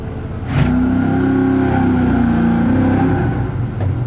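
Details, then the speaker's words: V8 during carburetor vs EFI test, cold with fast idle, EFI still learning; revs with uneven stumbling beat, a slight misfire. "the issue we're having right now is that sounds like it has a little bit of a misfire"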